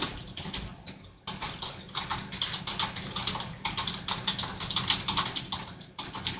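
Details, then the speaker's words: Original Apple HomePod that plays about 10 minutes then shuts off and makes interference noises: uneven crackling and popping bursts over hiss with no music, likely DC offset symptoms from failing DC filters letting DC voltage through. "That sounds like classic DC offset symptoms, those DC filters going bad and letting too much of that DC voltage through."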